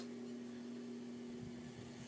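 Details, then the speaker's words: 42" Hampton Bay Littleton ceiling fan on medium speed with the light kit and globe fitted: quiet hum with a faint high buzz from a loose light-kit screw rattling; it buzzes on medium and low. "i don't know if you can hear it and it's the light kit buzzing around oh it's this little screw that's buzzing around"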